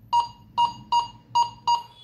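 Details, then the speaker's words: Metal detector powered on, silent until near metal: clean, mid-pitched double beeps repeating about every 0.4 seconds as it passes over a metal target; normal target tone. "Sound కూడా ఎలా ఈజీగా వస్తుందో అట్లా మనకు ఈజీగా సౌండ్ కూడా వచ్చేస్తుంది చూసారా మిషన్ ఆన్ లోనే ఉంది మనకి ఇప్పుడు దాని పైకి వెళ్ళేసరికి సౌండ్ వస్తుంది"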